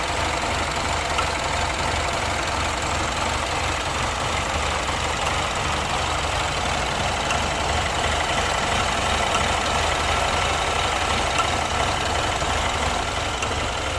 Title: BMW 2015 Misfire Detection Diagnosing